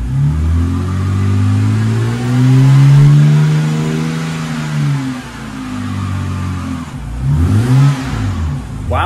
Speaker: definitely not stock i wonder uh if they straight piped it or something well that's pretty cool